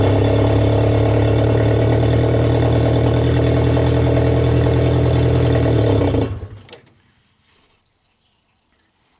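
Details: 1992 Genie boom lift engine started on known-good ground control while diagnosing a platform-mode start-run-stall: smooth, even low engine hum held steady six seconds, then shuts off cleanly; normal idle.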